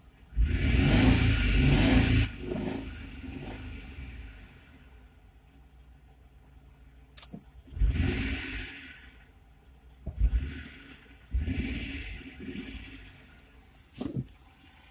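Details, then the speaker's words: 2004 Kia Sorento LX 3.5 V6, about 179,800 miles, with two bad O2 sensors and bad plugs: start-up with lumpy, irregular revving and sagging idle, check-engine light on, won't rev; engine runs rough, likely misfiring. "this sounds horrible check engine lights back on well it's been on 3.5 liter it's not running great"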